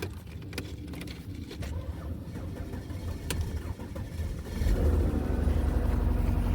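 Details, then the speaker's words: 2006 Mercedes S350 (W220), salvage car with side damage, started off a jump box. Quiet cranking, then it catches after about four and a half seconds and holds a smooth idle: normal start. "Oh, sorry. I had the camera covered with my finger. So, the car starts."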